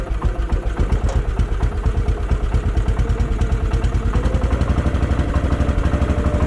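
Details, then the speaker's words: Case 444 tractor single-cylinder engine, found forgotten behind a barn, first run after revival, choked with fuel in the bowl and the shroud cleared of mouse nests: steady thumping about three beats a second that picks up with throttle. Runs fine. "yep what happens wow how about that give her a little throttle"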